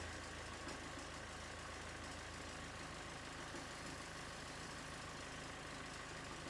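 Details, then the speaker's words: Mazda 6 GG diesel at idle, engine running, before repair: thin constant high squeal over diesel clatter from worn alternator belt idler and tensioner pulley bearings (203 bearings); squeal disappeared after the bearings were replaced. "Так, автомобіль начав видавать дуже страшні звуки. Час я заведу, продемонстрирую і потім буду знімати ремень. Якщо скрижит пропав, значить це точно заміна роликів ремня генератора."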